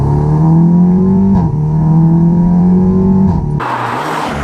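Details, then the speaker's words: Audi TT S Mk2 8J, rebuilt after theft and fire, with new coilovers, first drive: deep, smooth exhaust drone swelling as revs rise, dropping cleanly off throttle, quiet at low rpm; normal exhaust note under acceleration. "Oh, that That exhaust actually sounds so good. At the low RPMs, it's really nice and quiet, and then when you start giving it some, it comes alive. That sounds nice."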